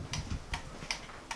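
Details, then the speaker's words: Normal indicator flasher on a 1978 cafe scrambler motorcycle build after fitting resistors: crisp, evenly spaced ticks about every 0.4 seconds, no skipping. "we have indicators off you go okay we've got the right indicator telltale"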